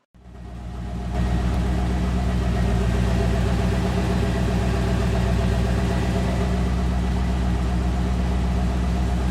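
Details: Corvette C4 with the L98 TPI engine, started after an EGR repair for Code 32 (Service Engine Soon). It catches and settles into a smooth, even low idle with no misses or knocks, and the SES light did not come on.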